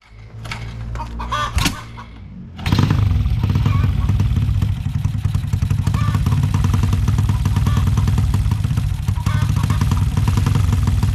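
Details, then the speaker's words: Honda Supra X 125 bored up to 200cc with a PWK 32 carb (pilot jet 38, main jet 115) tuned for a soft daily character: it catches cleanly and holds a fast, even beat with no stumbling or wet bogging. Carburetion sounds right; the owner may lower the pilot to 35 or 32. "pokoknya di gasnya udah G enggak ngebreerebet basahan gitu kan udah lumayan enak sih karakter motor gua 200 cc ini"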